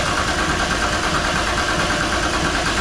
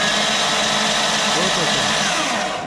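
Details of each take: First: VR Commodore with a swapped RB engine and new injectors, cranking after a fuel-delivery check: steady starter churn that never catches, as the injectors get no fuel; crank, no start. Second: Freshly assembled RB engine for a VR Commodore swap, spark plugs out, starter fed by a trigger wire: steady, even whirring crank with no knocks or catches, and oil pressure builds; normal cranking with plugs out.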